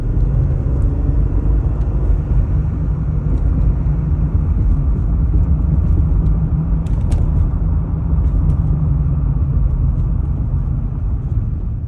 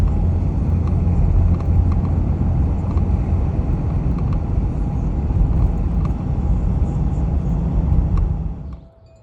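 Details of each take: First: 2020 Jeep Gladiator Rubicon (JT) cruising after door mirror covers were tightened with electrical tape: steady low road rumble, only a couple of faint ticks, no buzzing or rattling from the mirror; normal road noise, rattle fixed. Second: 2020 Jeep Gladiator Rubicon JT driving: under road and wind rumble, faint irregular plastic ticks and chatter from loose door mirror cover, plastic on worn tabs; fixed by taping gaps with electrical tape.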